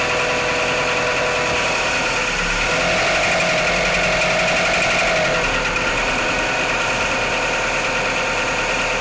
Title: Mitsubishi Outlander 4g63 - knocking sounds on cold start